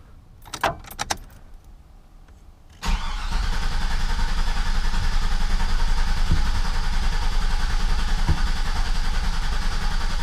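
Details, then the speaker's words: GMC 2500 truck after aftermarket (likely Carter) fuel pump install: brief whir then about ten seconds of steady cranking that never catches; owner suspected air bleed, but miswired pump was pumping backwards, so no fuel reached engine. "i filmed myself trying to start the truck and it wouldn't start and i thought maybe it was just an air bleed problem"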